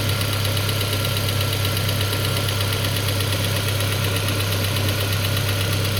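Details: Peugeot 407 2.2 petrol, cold idle, Total 9000 5W40 oil: light, even tapping about two per second. It appeared after ring replacement, valve lapping, valve stem seal replacement and idle-air channel cleaning. Knock of unknown origin.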